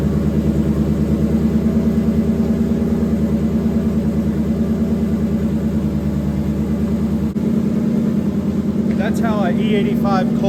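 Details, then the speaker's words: 700hp turbo Cobra V8 on E85 after an oil change and MSD 2-step install: steady, lumpy cold-start idle with an even beat around three per second, no knocks or misses; normal cold start idle. "cold start should be."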